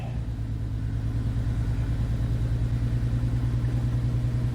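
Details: 2007 Dodge Nitro right after a second fuel pump replacement, about a quarter tank: smooth, even idle with a steady low pulse of about 200 a minute and no misses or knocks; normal idle.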